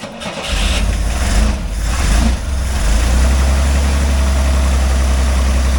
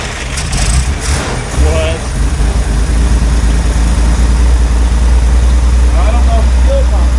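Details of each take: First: Corvair that sat in a field for 20 years, after fuel pump testing: engine catches after a short crank and settles into a smooth, steady low idle with no misses or knocks; normal start and idle. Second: Corvair that sat in a field 20 years, carbs primed, running on old stale gas: catches, runs rough for a few seconds, then dies; fuel starvation stall, fuel pump not pumping or a blockage in the fuel system.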